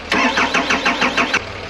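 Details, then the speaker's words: Chevrolet Tahoe after fuel pump replacement, cold Calgary snow: starter churns about five even compression pulses a second without catching, long crank; likely fuel pressure still building, injectors possibly too, not confirmed. "So it took a while to get it? Yeah. Probably the injectors too."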